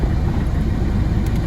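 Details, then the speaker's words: 2011 Citroen C3 1.4 HDi diesel just after fuel filter change, correctly bled: even low diesel rumble at idle with no misses, knocks or hunting; smooth normal idle. "So there you can see, nice smooth idle. It's been bled correctly. We've got smooth running."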